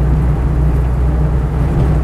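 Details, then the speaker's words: Land Rover 90 2.5 TD diesel, about 90,000 miles, warm with temperature gauge at a quarter, driving: steady low diesel drone, no whine, clunk or grinding, no synchro problems or jumping out of gear; normal gearbox. "Clutch is nice. Gearbox is fine. There's no synchro problems or anything like that, or odd noises or jumping out of forward gears or anything"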